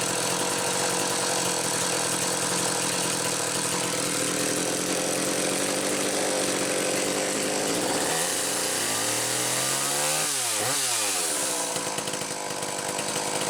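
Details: McCulloch Power Mac 320 chainsaw with original auto-sharp system, test run: two-stroke screams at steady high revs, dips and climbs back cleanly without bogging; normal running.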